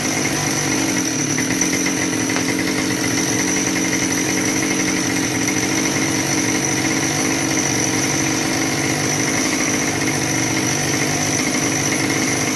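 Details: Husqvarna 572XP AutoTune chainsaw that has good compression holds a steady, fast, buzzy high idle that never drops back. Suspected crankcase air leak, possibly the PTO-side bearing; brake-clean test inconclusive, pressure/vacuum test planned.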